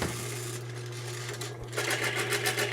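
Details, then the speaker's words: Lubricity test machine: a pin that galled and bound at 40–45 lb pressure is sprayed with Die Lube 2000 and run again. A steady motor hum, then a rapid rhythmic chatter of about six scratchy bursts per second from the already-damaged pin. "it's already chattering because of all that sound from before if you can see that pressure that's after it's already beat up"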